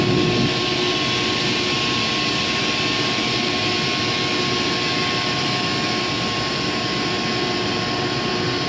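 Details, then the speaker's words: Used 2005 Boge 40 hp variable-speed screw air compressor, 79,131 run and 1,909 loaded hours: steady rushing airend noise with constant motor whine, smooth, no knocks; normal run-up to pressure. "you'll be able to hear the motor whine back down once it gets up to pressure where around 105 [Music] it'll hold that pressure there"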